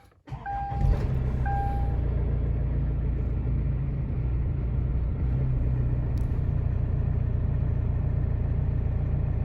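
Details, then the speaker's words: Car engine with faulty MAF sensor, before replacement: cranks and catches, rpm fluctuates for a split second at every start, then settles to steady idle with a delay because the sensor no longer reads intake air. "So, isa to sa sintomas na pinakikita ng MUF sensor pag may diferensya na siya. Ayan. Ipakikita natin sa inyo. Pag in-start mo, yung RPM niya nag-fluctuate."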